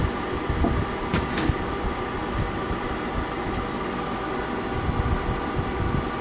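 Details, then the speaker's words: Englander wood pellet stove in a 288 sq ft shed at about 0 °C, blower motors kicking in during startup after the igniter: a steady whirring hum with faint clicks, blowers running normally. Warm air comes from one side only. "So I'm just going to pause this now until it goes through the startup procedure and the blower kicks in. So as you can hear, the blower motors have kicked in."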